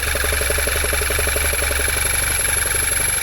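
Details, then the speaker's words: 2011 VW Tiguan 2.0 with a check engine light, idling with the dipstick pulled: an uneven, loping idle pulsing about four per second and nearly stalling. Strong crankcase vacuum points to a failed PCV valve needing replacement. "there's significant vacuum on this like sucking it back down and just running like dog cards"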